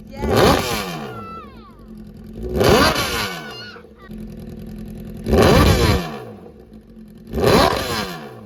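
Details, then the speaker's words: Crashed Honda CBR1000RR first start-up after Marvel Mystery Oil soak, coolant status unknown, smoking from oil spilled when wrecked upside down; four sharp blips about two seconds apart returning cleanly to steady idle, no leaks: healthy revving. "The hot pursuit CBR1000 runs and she's not leaking a thing."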